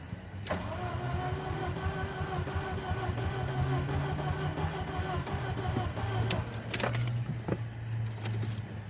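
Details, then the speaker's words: B5 VW Passat after spliced ignition pigtail harness repair, not run in a while, fuel pump primed: steady cranking churn that never catches; cranks but no start, owner suspects no spark. "Seems like it might not be getting spark. Just gonna let it prime up a while."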